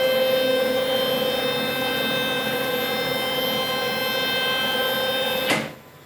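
Steady motor whine with only a faint rattle as the gantry travels, then it stops cleanly; movement sounds smooth and quiet.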